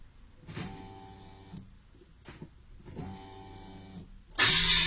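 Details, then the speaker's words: Renault Clio II 1.4 16V with unstable idle, new fuel pump under rear seat just fitted: two short, steady electric hums at key-on, then engine fires; fuel pump priming normally, rough idle persists. "maintenant je dois mettre le contact et pour la remplir et normalement quand je mets le contact je dois l'entendre"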